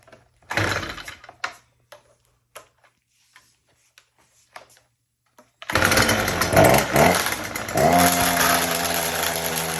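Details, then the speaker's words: STIHL FS240R trimmer: a few pull-start rattles, then it catches and holds a low, labouring drone that never climbs to full RPM; starts and runs but won't rev up, not a carburetor fuel issue. "the issue is that it's starting up and running but it's not picking up to full RPMs and really picking up at all"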